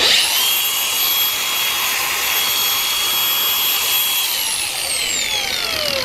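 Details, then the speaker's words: Makita DGA404 18V 4-inch brushless angle grinder, rental unit checked before maintenance: spins up to a clean steady high whine and winds down smoothly, no grinding or rattle; bearings sound healthy. "ไม่มีเสียงดังมากหรือความเงียบหมายความว่าปัจจุบันค่อนข้างดีในปัจจุบัน"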